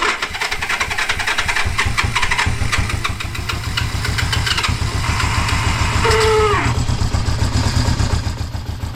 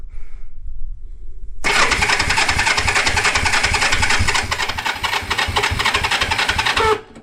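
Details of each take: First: 1973 Honda CB350G twin, first start in over 10 years of storage after cleaning the points, on choke with leaking carburetor (suspected bad float/fuel shut-off): catches and settles into fairly even popping idle with brief blip; sounds good. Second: 1973 Honda CB350G, unrun for 10 years, after points were cleaned to restore spark, on choke with the carburetor still leaking fuel: fast, uneven cranking pulses with a few stronger beats as it tries to catch but doesn't run.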